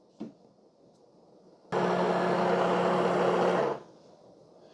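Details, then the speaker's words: De'Longhi TrueBrew CAM51025MB after brewing, brew light still flashing while it disposes of the used coffee puck into a chamber, taking about 15–20 seconds. A small pop, then about two seconds of pump hum with rushing water that stops cleanly; normal post-brew operation. "The Brew light is still flashy that tells me that there's still something going on inside there you'll hear water running you'll hear a little pop and a snap that's all normal"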